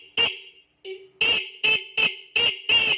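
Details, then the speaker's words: Motorcycle's original stock horn, tested before being combined with a second horn: short sharp toots, about seven in three seconds, a bright high-pitched buzzing tone with clean starts; a healthy horn. "Oke, sekarang kita coba satu-satu dulu nih yang bawaan motor, yang originalnya ini bunyinya seperti apa. Oke, bunyinya seperti itu."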